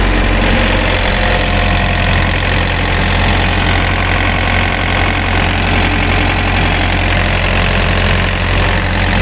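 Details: Thermo King reefer diesel unit just started after a belt change and full service, box at 70°F: a loud, even diesel rumble holding a steady idle with no knocks, squeals or hunting. Normal idle.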